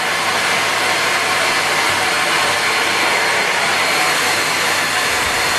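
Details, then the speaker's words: Miele vacuum cleaner plugged in and tested: steady, even high-pitched air rush and motor hum with no rattles or pitch wobble; sounds like it's working properly, unlike the other unit. "so this one sounds more right. I can see the difference now. This one sounds more like it's working."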